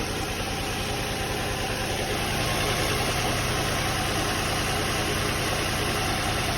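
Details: Nissan 350Z/G35 idling evenly after valve cover gasket replacement: a raspy, hissing puff rides each firing pulse at about three per second. Gas escapes through several holes; exhaust leak at idle, likely needs a new exhaust.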